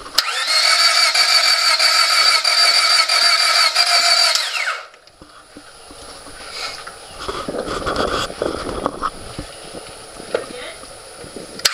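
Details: 2000 Honda Civic that sat three weeks, fresh gas added and jumper cables tried: starter spins the engine at an even, fast whir for about five seconds but it never fires; cranks, no start.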